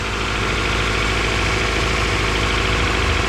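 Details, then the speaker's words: Honda CR-V bought cheap, after repairing bent valves and first start on a jump box: rough start, then steady, even idle with a low smooth pulse, no knock or misfire; normal idle. "whoo she had kind of a rough start guys but she started oh yeah let's go check it out"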